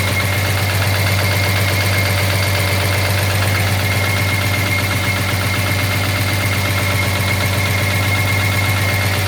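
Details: 1983 Jaguar XJS V12 idling with a steady, even knock about four times a second over the smooth hum; owner assumes a dropped valve seat, top-end fault suspected, not confirmed.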